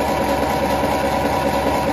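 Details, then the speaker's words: Ferguson T20 tractor, a barn find, with new oil and new points (gap 0.4 mm) and capacitor: cranked with the spark plugs out to build oil pressure. An even turning-over drone with no firing. "I think it's a really good idea to do this before that I tried to start it and also before I installed the sparking plugs to it because uh I guess that the crank was really really dry after all of those years been standing there"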